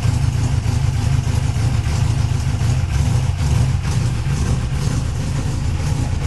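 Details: First start after correcting cam degreeing: steady, even low rumble at idle with no knocks or ticks from the top end; engine sounds smooth and healthy.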